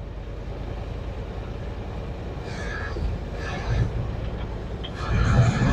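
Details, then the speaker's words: 1969 C60 truck big V8 warming up at idle, choke pushed halfway in, cylinder 1 plug wire off and sparking: uneven loping idle with a rhythmic stumble; misfire from a dead cylinder. "Now, she sounds like shit, because if you look up right now, I still have cylinder number 1 over here live sparking on the windshield."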